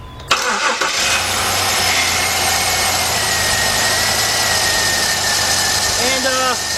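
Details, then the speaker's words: 2003 Jeep Liberty Sport 3.7 V6 just after a partial engine rebuild, warming toward operating temperature and smoking as old oil burns off; steady high-pitched whine over the idle, owner attributes it to the power steering pump; whine at idle. "see stuff over here that sound I got power steering pump me a little noise"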